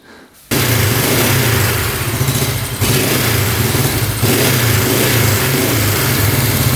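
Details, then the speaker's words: 1971 Honda CL350 twin, unrun for over 25 years, fires up and runs lumpy on a light throttle and won't idle: lean pilot mixture, fixed by turning each carb fuel screw from one to two turns out. "All right, it's still not wanting to idle. So, what we did was adjust the fuel screw out another turn on each carb."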